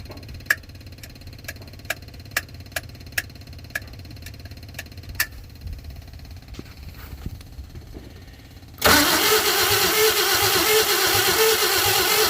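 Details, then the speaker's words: 1952 Chevy engine: sharp regular ticks near three per second, then loud cranking that never fires, after fuel was poured in and the fuel pump refitted; owner doubts the pump delivers fuel and suspects a stuck float. Flame shot up, debris blew from the exhaust. "uh i really find it hard to believe that that that fuel pump is getting anything in there"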